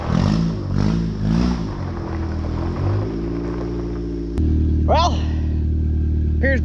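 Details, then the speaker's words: Rear brakes seized on a Honda CRV: engine revs surge up and down, then settles into a steady labouring drone without the vehicle pulling away; both back brakes locked up. "both back brakes are locked up oh well"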